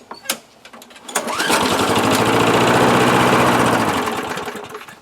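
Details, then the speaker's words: 1998 Murray 3-in-1 mower, trash find, manual throttle removed, has compression, primed; pull-start catches, runs rough about three seconds then dies; starts and dies, likely gummed carburetor bowl bolt (main jet). "There you go. So it starts and dies. More than likely this issue is in the carburetor bolt."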